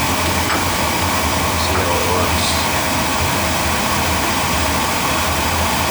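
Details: Oil-fired boiler burner, about three years old, at a service visit, just after the oil valve opens: a steady, even flame roar over a low constant hum with no pulsing, rumbling or puffing; firing cleanly.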